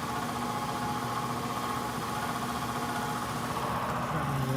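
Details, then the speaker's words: ICP/Heil heat pump air handler, complaint of noise from the air handler: blower motor runs with a rough buzzing vibration and uneven hum, diagnosed by sound as a failing motor needing replacement. "i can tell by the sound we don't need to look any further or read anything else this one's going to have to have a motor or a replacement one of the two"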